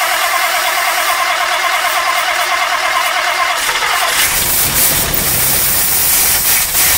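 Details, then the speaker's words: 1959 Mercury Monterey, dormant about a decade, first start after long sitting: cranks briefly, catches and settles to an even idle with an uneven puffing tick; known exhaust leak still present, no smoke. "after sitting for quite a while it fires right up I'm pretty happy runs pretty decent the exhaust leak is still there"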